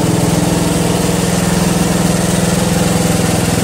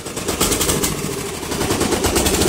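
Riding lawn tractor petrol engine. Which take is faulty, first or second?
second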